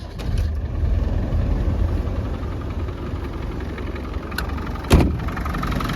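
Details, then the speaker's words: 1997 Land Rover Defender 90 300Tdi diesel, 92,000 original miles, just started at idle: steady even clatter, smooth with hardly any vibration, no knocks or misses, no smoke or blow-by; normal healthy idle. "Real smooth running engine. Hardly any vibration at all."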